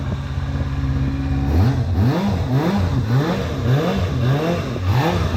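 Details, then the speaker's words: Kawasaki ZXR250 inline-four on its first start in 18 years, after lube down the plug holes: crisp free revs climb to a high shriek and drop cleanly, with a little smoke and an oil drip; healthy high-revving engine. "got it does sound like a Formula One"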